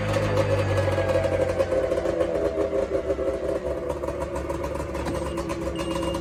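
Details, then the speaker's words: 2005 Arctic Cat 370Z 370cc two-stroke snowmobile, after fixing manufacturing issues: steady two-stroke burble, then a faint high chime signalling reverse is engaged; engine sounds healthy and ready for the season. "So reverse works. You heard the beeping noise on it. So that's something Arctic Cat and Skidoo had. Whenever it goes in reverse, you hear the chime."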